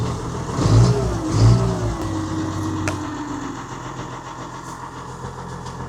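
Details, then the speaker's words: Old machine standing unused, oil checked (black, due a change): fires straight away with a quick rev, then drops to a slow steady idle thump with no knocks or misses; normal cold start and idle. "Oh, brilliant. That's a relief."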